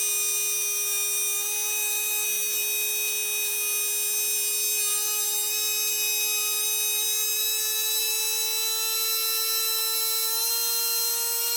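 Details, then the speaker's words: Tamiya Dynatech 01R brushed motor, stripped, cleaned and rebuilt, run while adjusting timing: steady high-pitched whine creeping upward as timing is swept toward its sweet spot; smooth and even, healthy. "we'll have a little player with the timing and hopefully you'll be able to hear it increase and decrease and the idea is to get it to its sweet spot"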